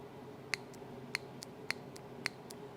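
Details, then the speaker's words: 1975 Triumph TR6 J-type overdrive solenoid with integral valve, bench-powered and drawing 2.28 A: sharp, light clicks about every half second as the plunger moves in and out. It is working; the overdrive works cold but fails when warm. "this one is a little bit more quiet because the solenoid also includes the valve this part is the valve here inside there's a plunger that goes back and forth yeah I can hear it clicking and I can see inside"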